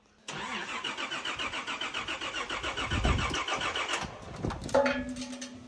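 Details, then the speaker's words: Nissan GQ Patrol on LPG and petrol: starter cranks steadily at a regular rhythm for several seconds but never catches. Seems to be getting fuel, so likely no spark, distributor related; a wire was later found as the issue. "it seems like it's getting like fuel right like it's got It's got LPG and petrol we can hear the LPG fire on which means it's probably not getting spark and that's distributor related"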